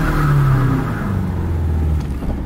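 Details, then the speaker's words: BMW E36 with LS engine, unused about a year, during a burnout: revs rise and fall with a flat, uneven drone, owner says it's running on two cylinders; misfire, then it shut off. "this thing's definitely running on two cylinders"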